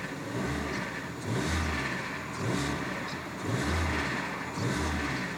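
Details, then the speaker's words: Ford Focus automatic, low mileage, engine blipped repeatedly: a light metallic rattle on overrun as revs fall, audible over the exhaust; possibly top end, though owner suspects it may not be the engine, perhaps a pulley. "There's definitely a bit of a rattle on an overrun there, but I've definitely heard worse. There's definitely a bit of... I don't even know what it is. I mean, it might not even be the engine. It could be like a pulley or something."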